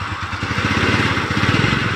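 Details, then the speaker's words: Kymco Easy single-cylinder scooter after a new-stock part was fitted, fixing the earlier krek-krek idle noise near the CVT: steady even idle, then picks up cleanly when revved, no clicking or rattle; normal idle and revving. "Hai normal sekali specnya tidak ada suaranya aneh-aneh CVT nya sangat normal halus adem berada suara yang aneh"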